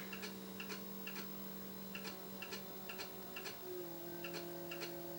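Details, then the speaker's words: Original Xbox with error code 7 on startup: light, regular ticking about twice a second over a faint hum as the disc drive mechanism keeps clicking; red light shown, fix is modchip or rebuild. "it's an Xbox with an air code 7 I'm going to teach you how to fix it and there's two options for fixing it well it's pretty much easy you can mod ship or you can build and as you can hear has a ticking in it"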